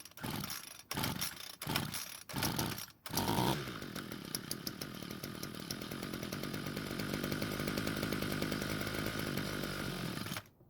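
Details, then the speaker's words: Ryobi two-stroke string trimmer, unused for a long time, test start with no fuel in the tank and fuel filter disintegrated: ragged pull-start bursts, buzzy run about seven seconds, then dies; likely running on leftover fuel in the carb. "Well, that was a bit of a surprise. I didn't expect to have it run for quite so long. Now, more than likely, there must have been some leftover fuel inside the carb that the engine was probably running on."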